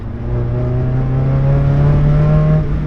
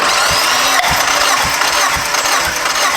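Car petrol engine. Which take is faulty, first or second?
first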